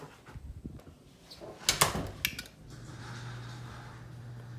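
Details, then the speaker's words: Chamberlain C253 0.5 HP chain-drive opener on a 9x7 non-insulated door, newly reinstalled correctly, heard from inside the house: after household clatter, a faint steady low motor hum; quiet normal garage door opener operation. "you really can't even hear it that much in here. And my grandma lives alone, so she doesn't have to worry about waking anyone up and whatnot."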